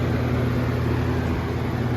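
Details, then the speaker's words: Early-2000s Holmes box fan model HABF-25 on high speed in a basement: constant low droning buzz with a firm hum, the fan vibrating heavily. "fan vibrates so much the thing too about this fan"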